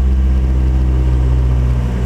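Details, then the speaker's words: 2005 Ford Focus after fuel filter replacement, fuel pressure relieved by pulling the fuel pump fuse and refitted; restarted quickly despite drained lines, steady even low idle hum with no misses or knocks; normal idle. "now because of that fuel is uh was drained it may take a little longer to start than normal oh mine started right up"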